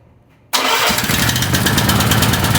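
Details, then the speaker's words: Small mower engine after diesel was accidentally poured in the gas, tank flushed and refilled, carburetor not disassembled; starts instantly and settles to a steady, even putter with slight smoke, running fine. "wow i didn't expect it to start right away you can see it's smoking a little bit"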